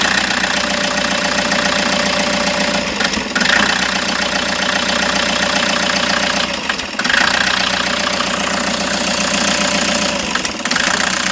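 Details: Toyota HiAce engine idle with an uneven, lumpy beat, irregular stumbles and a raspy exhaust note; misfire at idle under diagnosis, cause not yet pinned down.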